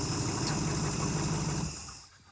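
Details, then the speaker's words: 1971 Chrysler eight-door airport car idling without coolant after epoxy patch: steady even low rumble for under two seconds before fading, no knock or miss; runs good, no leak, smoking profusely. "Fart up. Oh, runs good. Wow, that went much better than expected."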